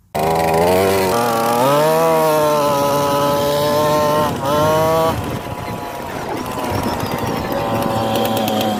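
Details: Honda FL250 Odyssey barn find, first start after about 10 years of storage, on a 100° day with starter fluid and a leaking fuel pump: the small engine snaps to life and surges up and down in pitch before steadying; rough running.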